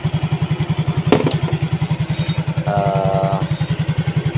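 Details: Yamaha Mio GT scooter idling after the injector was replaced: it was previously hard-starting and stalling at idle. Now an even single-cylinder thump at 1300 rpm, O2 sensor 0.49 V, idle control 19.0%, without stumbles or misses; clean healthy idle.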